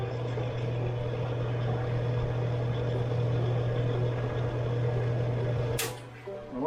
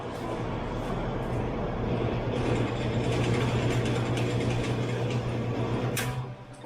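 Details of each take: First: About 70-year-old Homart Sears fan after reassembly, motor re-secured in its saddle: motor hums steadily at low pitch while the blades fail to start spinning; drive belt too loose and slipping on the pulley, to be tightened. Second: 70-year-old Homart (Sears) fan, motor wire just re-soldered, test run: steady low motor hum holding an even pitch, then winding down; the fan motor runs cleanly with no rattles.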